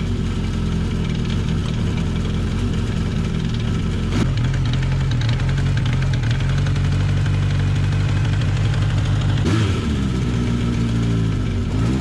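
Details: Honda CB750 KZ four-cylinder restarted after sitting since last summer, with a long-standing clutch-area noise that does not go away when the clutch is pulled in. Uneven rattling clatter rides on the low idle rumble with no clear beat; the clutch basket has already been replaced and the cause is still not found.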